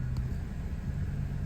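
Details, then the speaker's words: Mercedes C300 after fixing a cylinder 6 misfire (P0306) with new ignition coil and spark plugs: smooth, low, even idle with no stumble or shake, firing cleanly; the check engine light has not yet cleared. "actually running good well I got the problem fixed but I don't got the light fixed"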